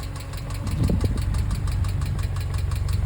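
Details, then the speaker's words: Subaru EJ engine in a VW Syncro Doka conversion, at operating temperature, recorded close up before lifter replacement. A light, quick ticking rides steadily on an even idle: noisy bad hydraulic lifters. "today, i show you how to cancel noisy lifter sounds on a Subaru EJ engine exemplary on this beautiful syncro doka listen to that rattling noise close up at operating"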